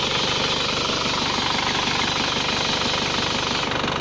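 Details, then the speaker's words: Engine idling with the AC on, a steady even hiss and soft pulse with no rattle or growl. The AC compressor is fine, with no compressor growl. The only noise came from the fan, which was silenced temporarily. "nah ini kompresornya berarti tidak bermasalah karena dia tidak tidak normalnya hanya suara untuk by di kipasnya ini saja ini ya"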